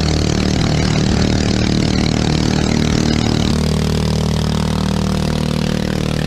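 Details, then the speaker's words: Honda-clone 212cc 6.5hp four-stroke single driving a homemade jet boat unit, running flat out on the river: uneven, stumbling note then a rougher lower drone; revving out with no gearing, spluttering, engine worn out. "because as you can hear on that one i was spluttering and carrying on it's it's just done"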